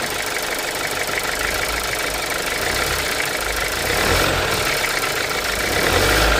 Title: weird ticking noise 2018 audi a3 1.5 tfsi